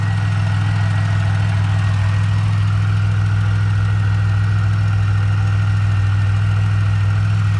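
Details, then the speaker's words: Pontiac Bonneville SSEi, new supercharged L67 with ZZP VS cam, intercooler and ported M90, idling after first run: loud low hum with light irregular tick two-three a second, quieting; suspected injectors, unconfirmed. "it's uh sounds like it's quite quieting down a little bit and it could be the injectors we're hearing and a lot of other stuff like motors make a lot of noise"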